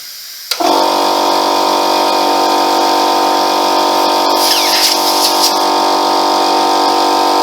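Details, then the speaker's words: Free Ford air compressor after a gasket replacement: sudden pop, then a steady loud hiss with a held high tone as the relief valve blows off for the first time in years; relief valve venting. "look at that tell you what that's the first time that that's blown off like that hasn't it in in years that's"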